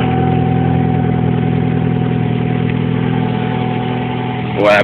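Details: Honda H22 engine, first restart after full teardown, at even idle: steady thin singing tone; balance shaft belt tensioner pulley set too tight, later resolved.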